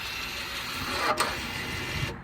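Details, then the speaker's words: Audi A4 B9 electric rear parking brake motors, ignition on, retracted by a diagnostic tool out of parking service mode for a brake job: short gear-driven whir of about two seconds that stops cleanly, normal operation. "And you will hear the rear parking brake moving. And as you heard, you put it into parking service mode."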